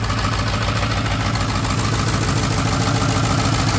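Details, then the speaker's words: Ford 7.3 Power Stroke diesel in a wrecked, front-end-damaged, rust-free California Excursion, just started by bypassing the starter circuit: deep, steady, even idle clatter with no misses; no blow-by, only a little vapor; healthy idle. "no blow by which is a big big deal for me little Vapor but no blowby really at all I think power strokes always have Vapor"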